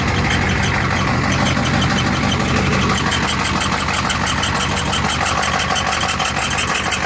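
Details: Ford ZF5 S5-47 manual transmission, supposedly good used unit: steady mechanical whirr with thin high squeal over drivetrain noise; teardown found rear countershaft bearing race spinning in the case, 0.006" countershaft endplay, bearings only minor pitting.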